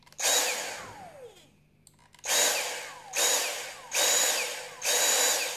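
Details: Dyson V6 cordless vacuum reassembled after disassembly and cleaning (had lost power and smelled), battery reinstalled: motor switches on repeatedly, spinning up fast to a strong, steady high whine, no rattle or scraping; healthy.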